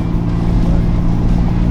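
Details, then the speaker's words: SC300 with 2JZ-GTE engine, modified, automatic, heard from inside while driving and giving it some throttle. Deep, smooth six-cylinder rumble pulling evenly with no misfire, knock or rattle; sounds healthy under acceleration. "So at least give it a little bit of rippers. I think that sounds all right."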